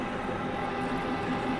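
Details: Manual lathe parting off one-inch steel rod for a spacer, speed reduced to stop chatter, cutting fluid applied, cross feed advanced slowly: steady even hiss with faint constant tone, no chatter; smooth parting cut.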